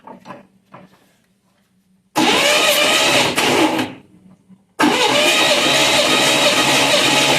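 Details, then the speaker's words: 1963 Corvair engine compression test, cranking with spark plugs out on one bank, reading about 140 psi per cylinder, checking for dropped valve seats; steady even cranking with no catch. Normal cranking, compression adequate. "So, I'm getting compression readings about 140 on this side. Uh, nothing to really write home about, but it's good enough for it to run."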